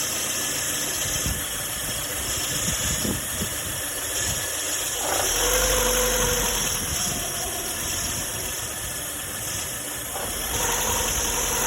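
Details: Lada Granta idling: an uneven knock at roughly two per second within a noisy idle. Crankshaft knock suspected, not confirmed.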